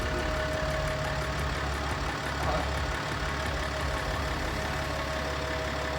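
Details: BMW X5 M50d diesel after engine rebuild, running after a loose glow plug module plug was reconnected, before heat cycling: even, steady diesel clatter with smooth low rumble, no misses or knocks; normal idle.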